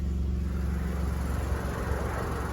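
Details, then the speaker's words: VW Polo 6R 1.2 three-cylinder, cold idle right after coil pack replacement during a service: steady low idle with slight lumpy cold-engine throb, no misfire, sounds sweet; normal cold idle. "I mean, obviously the engine's still cold, so it's normal for a 3-cylinder to shake like this, but once it's warmed up, I'm sure it'll"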